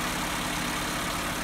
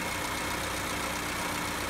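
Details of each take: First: Car with electronic idle valve, no fault codes on OBD scan; idle holds fast and steady with a raised hum, no misses. Idle too high. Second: Car after adjusting the electronic idle valve's screw, idle now about 875–900 rpm; steady, even low hum with no hunting or surging. Normal idle after repair.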